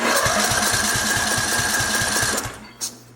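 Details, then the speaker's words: Craftsman LT2000, Briggs & Stratton 19.5 OHV engine, compression test while cranking: fast light puffs about 220 a minute, never catches, gauge only reaches 30 psi versus hoped 40+; low compression traced to sheared push rod, valve not opening. "That's pretty low. Let me reset it. And we're only getting to 30. I would like to see it above 40."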